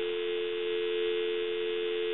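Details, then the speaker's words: Takara French-style rotary desk telephone, dropped, handset transmitter faulty, plugged in for checkout: clean, steady mid-pitched dial tone with no crackle or buzz; quiet, normal dial tone. "give you some dial tone and as you can see it's nice and quiet"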